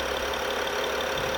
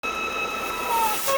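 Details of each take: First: BMW 5 GT 3.5 gasoline after repair of a vacuum leak whistle that caused misfire, shaking and warning lights, codes cleared: steady, even idle with a smooth hum, no whistle or misfire shake; quiet, normal idle. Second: BMW 5 GT 3.5 gasoline with engine check light and fluctuating RPM, rough running; thin steady high whistle over a hissy engine bay from air sucked through a small vacuum leak.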